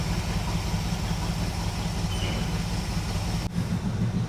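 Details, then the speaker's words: 1976 Chevrolet K20 3/4-ton 4x4 truck, V8 idling outside to burn off deposits, not fully warm; low, steady, even burble with no misses. Carb not yet vacuum-gauge tuned. "Well, it's definitely better because you could set a glass of water on top of that intake manifold and it wouldn't spill. That thing is so smooth."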